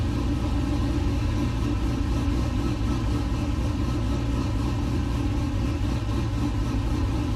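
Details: LS-swapped 1969 C50 farm truck, just after power steering rebuild with some remaining fluid leak; deep steady V8 rumble at even idle, no knocks or misses; normal idle.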